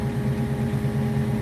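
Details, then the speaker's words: 1972 Ford Mustang Mach 1 V8: smooth, even idle with a steady low hum, no misses or knocks; normal idle. "At least it doesn't have to sound so high."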